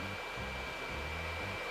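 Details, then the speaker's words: DR.Q L8 compact video projector on a table: loud steady airy rush like a hair dryer over faint music, the cooling fan extremely noisy for such a small unit. Excessive cooling fan noise. "donc je ne sais pas si vous entendez le bruit il est extrêmement bruyant"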